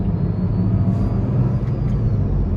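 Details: Car driving at about 50 mph with a deep, steady grinding drone well above normal tyre noise that builds with speed; worn front wheel bearing, a press-in bearing to be replaced.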